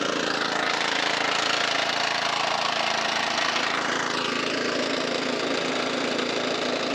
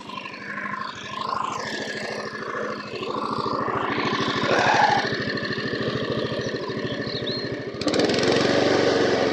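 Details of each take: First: Non-runner lawnmower, apparently the one with a Kubota 5 hp OHV engine, fresh fuel, first start: small single idles unevenly, rising and sagging instead of holding steady, hunting; low-end hunting suggests a blocked idle jet, not confirmed. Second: Honda HR173 mower sent in as a non-runner, started with fresh fuel; air filter old and deteriorated: even single-cylinder putter about three beats a second, steady with no stumbling or hunting; normal healthy running.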